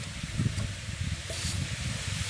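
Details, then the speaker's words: Shop air compressor with a burst start capacitor, tripping its thermal breaker: a steady soft hiss over a low rumble reveals a small compressed-air leak, suspected of hurting the compressor's charging, to be traced later. "también notamos que hay una pequeña pérdida"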